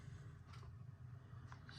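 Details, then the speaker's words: 2007 Opel Vectra C Z22SE manual, after ECU repair for P0601/P0603 (started then stalled after 2–3 months parked), warm at 95 °C: quiet, even low rumble with no misses or surging; revs stable, normal warm idle. "машина оберти тримає зарядку тримає температуру вже 95 градусів тобто машина прогрілася і все працює все чудово"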